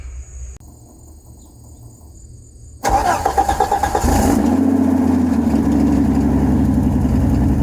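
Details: 1989 Jeep Cherokee XJ, 4.6L stroker I6, AW4, before muffler replacement, bottom of old muffler blown out; quiet, then catches into a loud, raspy, uneven exhaust rumble at idle with a rev blip; blown muffler.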